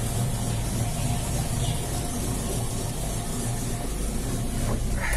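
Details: Ford Maverick 302 V8 after carburetor cleaning with Car 80 decarbonizer chemical bath: low, steady, even idle with no hunting or misses; idle now set right.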